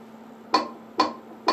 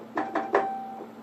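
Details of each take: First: Wurlitzer 200A electric piano, reed 49 tested during repair: soft key clunks, then a clean, steady mid-pitched note that rings and fades evenly; reed 49 fine, the broken one is 59. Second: Wurlitzer 200A electric piano, note 59: three dull key thumps about half a second apart with only a low hum behind and no tone, because the reed is missing.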